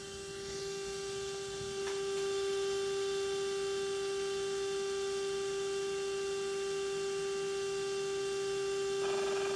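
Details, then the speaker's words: Mikron TH-5104 thermal imaging camera (about 1996), startup stage two: shutter spinning while imager cools, before vertical mirror starts; clean steady hum at fixed pitch, rising slightly in level; healthy. "and Yep this is definitely cooling [Music]"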